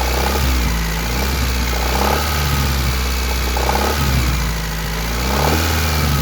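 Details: 1991 Honda Accord F22A1 with a 1995 Prelude head and valve lash in spec, revved in blips. A hard knock sounds from the top near cylinders 3–4; the owner suspects piston slap or a rod bearing.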